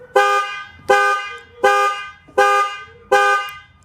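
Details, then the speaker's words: 2013 Ford F150 key fob after a key shell replacement that reused the original circuit board: the panic button gives five loud, even horn blasts about 0.75 s apart; the panic alarm works and all remote functions are confirmed. "And we have panic. So that tells me that everything in here is functioning correctly."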